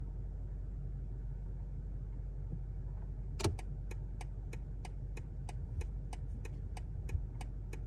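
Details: BMW G70 2023 760i, idling with the turn signal on: crisp clicks about three a second from the steering column. Persists after the turn signal assembly, a steering column part and spring were replaced; not heard on 2023 i7 models.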